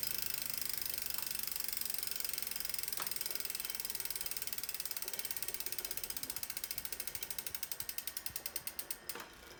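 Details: Tacx Neo 2 trainer, returned under warranty: loud, fast, harsh scraping rattle on the spinning trainer that slows as the flywheel winds down; internal drag somewhere.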